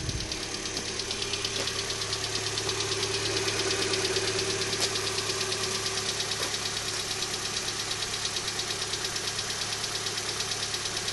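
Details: 2012 Hyundai Elantra petrol engine at cold morning idle: quick, even light tick about three a second over a steady hum, louder on the passenger side, lasting up to 5 to 10 minutes after startup; cause not yet found.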